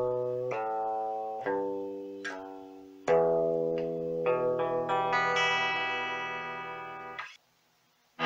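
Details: Meteoro Atomic Drive 20 guitar amp after repair of noise and hiss caused by its potentiometers, knobs cleaned: clean chords with a quiet background, no hiss or crackle; amp working properly.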